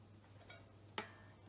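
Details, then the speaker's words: Squier Showmaster guitar during setup: two sharp metallic pings as a string is tuned, catching in a nut slot too narrow for the thick strings, then jumping free; string binding in nut slot. "So that pinging is because the nut slots are too narrow for the thick strings, so it's sort of catching in the nut."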